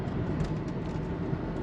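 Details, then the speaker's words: 2016 Hyundai Tucson engine shaking and stumbling while driving, misfire code P0303 (cylinder 3); check engine light comes on and flashes during the drive; cause suspected in spark plugs or ignition coils. "sí se ve que haga el fallo está temblando y fallando a a ver si lo detesta que prendea el Chick engine ahí está ahí lo detectó prendió el Chick engine y sigue brincoteando"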